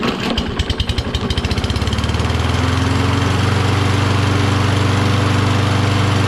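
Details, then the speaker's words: Toro Recycler, Kohler XT675, cold start with choke closed on starting fluid: uneven, stumbling firing for a couple of seconds, then a steady drone. Hard starting and rough running; owner suspects low spark from the magneto, cause unconfirmed. "but if it's getting low spark it'll have difficulty starting like it's doing now yeah it seemed like it's starting should i blow some gogo juice in there"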